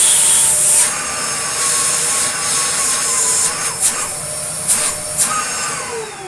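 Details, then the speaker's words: Dyson DC02 DeStijl vacuum after restoration, hose fitted, running: strong rushing airflow under the model's characteristic steady high whine, pitch dipping briefly with bumps; whine stops when blocked; powerful suction, normal running. "I don't know what it is about DC02s, but they have a very specific sort of whine to them."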